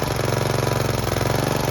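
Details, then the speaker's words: Snapper riding mower with an aftermarket Chinese carburetor, after the float bowl was reversed so the float can no longer sink and stick: fast, even firing at a steady speed with no hunting or stumbling. The flooding is fixed. "Nope, it's fine. So that was the problem. When you buy these cheap Chinese carburetors, you know, you just gotta deal with things like that."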